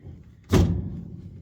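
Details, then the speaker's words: Big block Ford Ranger: one dull, hollow clunk as the steering column is shoved by hand, then quiet; the whole column moves when the wheel is turned, so the column mount is loose. "the whole column moves, which that's not supposed to do that."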